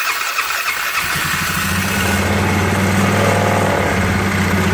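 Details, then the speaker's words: 2012 Polaris Sportsman 500 after new piston and cylinder replacing piston slap clatter: cranks, catches after a second and settles into an even, smooth single-cylinder idle, much quieter, no clacking or knocks. "Wow a lot quieter it's the way it should be"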